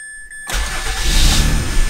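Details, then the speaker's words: 2004 Mazda6s automatic (221k) with a 61k-mile 2006 Fusion 3.0 V6 swapped in after the original blew. Restarted after the PCM relearned, with the S terminal now hooked up: the starter catches at once into a smooth, steady idle. Normal start. "look at that fires right up runs mint I'm excited"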